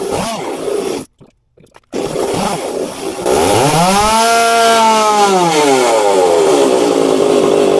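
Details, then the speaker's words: Stihl two-stroke chainsaw after fine-tuning the carburetor high and low screws: revs cleanly up and down, pitch climbing and falling smoothly without bogging or sputter; much more responsive and quicker. "had to do quite a bit of fine tuning on the high and low here but as you can hopefully you can hear and see I mean she's much more responsive and quicker so um that's what you want"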